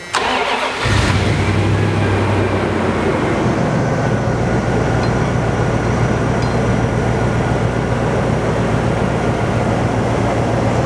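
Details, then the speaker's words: 1990 Dodge Ramcharger, revived after a relay and wiring rework and a steering shaft fix: a brief crank, then it catches instantly and settles into a steady, even idle with no stumble. A normal start with no special procedure. "No special procedures or anything to try and start it. It just always starts."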